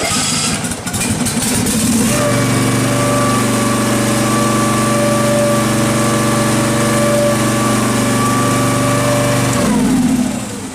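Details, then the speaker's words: Restored Case 446 tractor running on choke at its first start, hood not yet fitted: a steady, even mid-pitched engine note with no misses or knocks, normal healthy running. "but other than that she's running goo"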